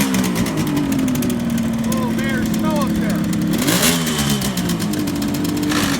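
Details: 1971 Kawasaki H1 500 two-stroke triple after fixing a spark plug cap and loose ignition wire: crisp, even blipping that settles back with clean, steady firing on all cylinders; healthy and strong.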